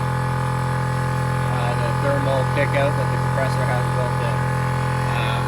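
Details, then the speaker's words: Air Zenith air-ride compressor, previously noisy with a suspected worn piston rod bearing, after teardown and rebuild: a steady, even drone with no rattles or knocking. It now sounds healthy, but the pressure switch has failed and fails to shut it off. "yeah other than that compressor sounds much better now so that's a plus"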